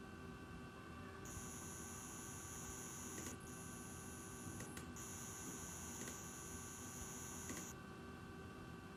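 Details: Asus ROG Strix RTX 2080 Ti OC graphics card with Ryzen 3950X at idle: faint thin high-pitched buzz over fan hiss that stops briefly when opening Chrome tabs (mouse clicks heard); owner suspects coil whine.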